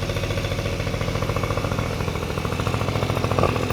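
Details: Honda Dio two-stroke scooter after cleaning oil flooding from a leaking oil pump and fitting a DIY gravity-feed fuel tank: pops along at a quick, even idle, steady beats, no misses; healthy.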